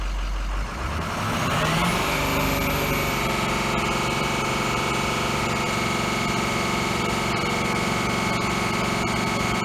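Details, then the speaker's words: 2005 Ford F450 6.0 diesel; a sticking injector pushes compression into the fuel lines, and the air causes misfire. Lumpy, uneven idle that runs worse off throttle and gets rougher the longer it runs. "But then when I let my foot off the gas, it'll be running worse because we're pushing that compression through one of the injectors, and it's going back into the fuel system, and it's causing to have a misfire because there's so much air coming into the fuel lines."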